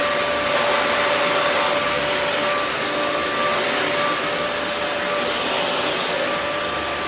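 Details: Dyson DC41 motor head, the motor also fitting a DC40, run on test: a harsh, high-pitched motor whine with a ringing tone over a rushing hiss; it works but sounds terrible, cause not confirmed.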